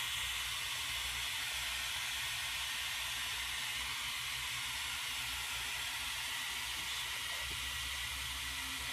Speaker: you'll hear the hissing gets louder because more water flowing through there we'll leave this open until water spreads out the top that means it's filled all the way